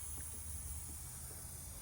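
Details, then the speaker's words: Nissan R32 Skyline intake pressure-tested after fitting intercooler piping, engine off: faint continuous hiss of a small leak, suspected through the throttle body or idle control valve, possibly gasket. "It's hard to say what it is. Get your ear on it. I can hear it. It's like down here. So it's just leaking through the throttle."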